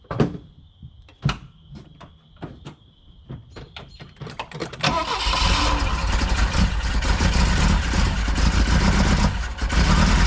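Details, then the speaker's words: Saab Sonett III engine, first start after reinstall with distributor set 180 degrees off: clicking, then cranks and catches but runs with uneven stumbling beat, one cylinder dead from an unplugged spark plug lead. "no it's missing i only plug up plug all the plugs in"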